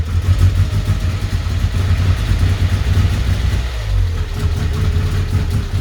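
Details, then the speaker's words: 1994 Vauxhall Astra GSi (C20XE Red Top), cool engine after cleaning the injectors and fitting a new battery: it eventually starts, then gives a deep, uneven rumble that stumbles and surges. It runs rough, likely from air in the fuel system. "as you saw then the car eventually started up and obviously there's going to be a bit of air in the fuel system after taking the injectors out and cleaning them"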